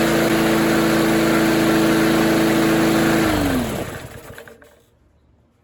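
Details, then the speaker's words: Discarded older Rally mower (probably AYP) after repair; small engine holds a steady, even note for three seconds, then shuts off and spins down cleanly; vibrates heavily; owner thinks the engine brake cable was the issue; runs fine. "Um, so yeah, I I guess she works. I guess it works just fine."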